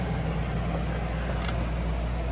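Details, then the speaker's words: Coleman Mach 3 NDQ roof A/C in a Winnebago Travato 59GL on high cool: the compressor's steady low hum under the fan rush, even and smooth throughout; normal running. "Fan first, then the compressor. So compressor is running. This is the high speed."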